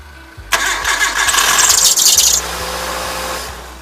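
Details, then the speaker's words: 1997 Hyundai Accent at start-up: engine catches and a sharp high squeal rides over it for about two seconds, then fades as it settles. Caused by a loose alternator belt, which can come off. "So that squeaking sound, that's what my daughter calls the car is crying."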